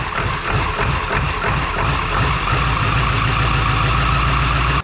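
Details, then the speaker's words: 2002 7.3 Powerstroke diesel, unrefined tune (HP Tuners), glow plugs cycled, about 60°F: cranks with uneven puffs, then catches into a loud, rough, steady clatter. A cold start that fires reasonably well. "but hey it ain't starting too bad yesterday since I have not I haven't got anywhere near refining this tune yet like man does it get a nice Loop when you fire up on those cold starts I love it sounds good"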